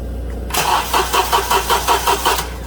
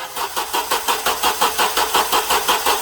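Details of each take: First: 2007 Honda Accord 2.4L four-cylinder DOHC, slow crank complaint, cold battery that passed load test, good alternator output and ground voltage drops within spec: about seven slow, labored cranking pulses over two seconds without firing; starter was replaced. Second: 2007 Honda Accord 2.4L four-cylinder after starter replacement, cranked via remote start with key off: even, brisk pulses about six a second for three seconds, averaging about 130 on relative compression test; cranking faster, healthy.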